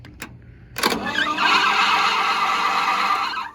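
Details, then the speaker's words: International B414 tractor, previously locked-up engine freed, head reinstalled, cranking on starter: steady high squeal under the starter churn from the belt slipping on its pulley; engine spins over well, piston rings possibly still stuck. "That's what that is, the belt squeaking on the daggum pulley."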